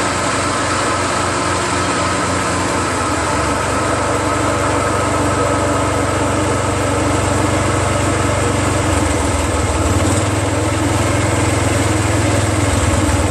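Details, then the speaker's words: Exmark Metro 36 commercial walk-behind mower with Honda GV400 single-cylinder engine, curb find, first run on fresh gas after a recoil starter repair. Steady, even idle with no misses or knocks; purring, very smooth and healthy. "are you guys completely amazed as I am look how that's idling it's purring like a kitten man this is one of the smoothest sounding engines have had that's freakin unbelievable man"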